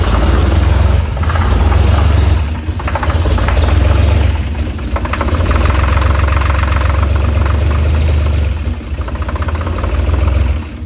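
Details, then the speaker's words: 1964 Chevy Corvair, first start, running only on starter fluid with the exhaust fallen off: rough, loud running with uneven heavy knocking over a deep exhaust roar, misfiring in spots; hard knock, cause not yet known. "so there it was running but it was running completely off starter fluid and it didn't sound really good as you could hear it was knocking pretty hard"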